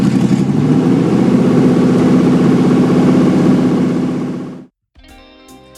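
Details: 5.0 V8 swapped into a Miata, first start before timing set: deep, even V8 burble settling into a steady rhythm with no misses or knocks; a clean, healthy first run.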